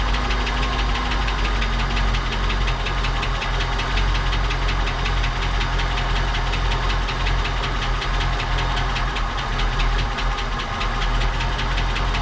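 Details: 1959 Cadillac project car, waiting 11 years, run after cleaning points and checking plugs: steady rough idle with fast, even light ticking; noisy lifters or sticking valves suspected, not confirmed.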